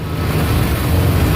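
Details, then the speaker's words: Ford 2.9L V6 with high/rough idle, MAP sensor vacuum line pinched off: heavy, uneven low rumble that lurches and stumbles instead of settling; runs very badly, showing the MAP sensor is working. "that's bad now don't do that it runs really bad if we do that so the map sensor is working then"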